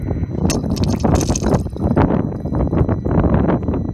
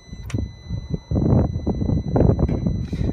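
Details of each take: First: 2011 BMW 535i after a water pump replacement (earlier code P0128 and cold air from the vents): uneven gurgling and trickling of coolant over a low hum as the new pump circulates and purges air pockets. The owner had feared the pump was bad; the battery read low. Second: 2011 BMW 535i with code P0128, cold air from the vents and the fan running high: at key-on the electric coolant pump gives soft clunks and buzzing but never spins up; a failed electric water pump with no circulation.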